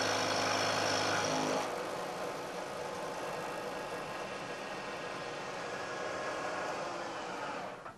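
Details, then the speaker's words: Milling cut of roughly equal depth to the previous cut, with the plate damped by sliding against the adjacent plates: steady, even cutting hiss with no chatter or ringing, much quieter toward the end of the part; clean, stable cut with better surface finish. "i'm taking a cut this time of roughly equal depth to the cut i took before you'll hear that there's a very big difference in the noise produced especially as the cutter gets out towards the end of the part"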